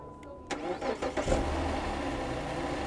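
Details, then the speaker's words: 2008 Dodge Charger with a charger connected and the starter and battery recently replaced: key click, a short hesitation, then a brief crank before idle; cranking is still delayed even though it starts each time. "But when I hit the key, there's still a delay, even though it's starting each time."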